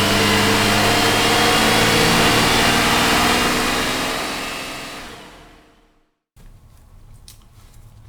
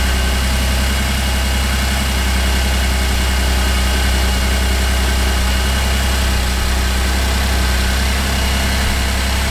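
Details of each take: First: 2008 Cadillac CTS, GM 3.6L direct-injection V6, first start after timing chain replacement: uneven popping "popcorn" running that fades and dies, a rough run caused by a vacuum line left disconnected. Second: 2008 Cadillac CTS 3.6L GDI V6 after timing chain replacement and reassembly, vacuum lines reconnected: steady, even idle with a smooth low hum and no popping or misses; engine runs healthy.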